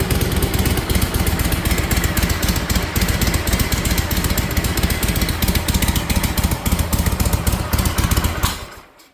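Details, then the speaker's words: 1956 Harley-Davidson FLH after restoration, started first kick, now on full exhaust instead of open drag pipes: loping, slightly uneven V-twin idle with an occasional sneeze through the carb, likely lean; carb and air screw may need readjusting. "Oh, it sneezes a little bit. Yeah, that's okay. We might have to adjust for this motor."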